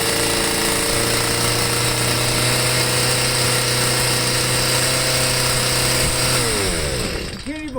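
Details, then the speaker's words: Stihl MM55 sweeper two-stroke with a Hipa C1Q-S97 carburetor: steady high buzz with no drop in speed until shut off; throttle cable backing plate misplaced; idle stuck high. "all right i'm gonna see if i can lower the idle on it maybe or that piece isn't on right again i'm not sure i don't know"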